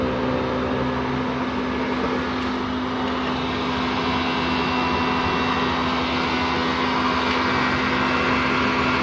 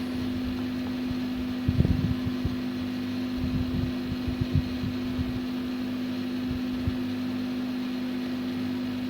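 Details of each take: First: PS3 CECH-3001A at power-on, green light stable: steady loud fan whir with low hum, growing louder as the fan speeds up; no display, then shuts down (three-beep shutdown fault). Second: PS3 CECH-3001A after reconnecting the fan jack and powering on: a steady, even fan hum with a few light handling knocks. The 3 beeps and shutdown are gone, but there is still no display.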